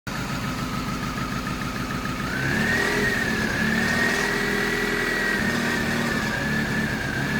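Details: 1998 Mazda 323 idling roughly in Park: uneven, wavering pulsing idle with speed hunting. Throttle body, IAC, MAF, intake tube and distributor cap already cleaned; in gear idle drops from about 1000 to 100-500 rpm; cause unknown.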